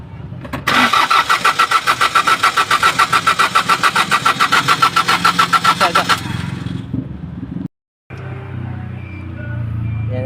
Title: bilaang namamatay makina tapos ayaw ng umandar buti nalang chambahan at kunti lang pesa bilini..